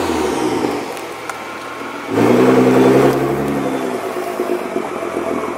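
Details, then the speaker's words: 2014 Nissan GT-R after swapping squealing stock racing OEM pads for cheap PosiQuiet pads: car slowing with only engine and road noise, no brake squeal; noise completely gone. "far as noise goes it's completely gone they're completely quiet"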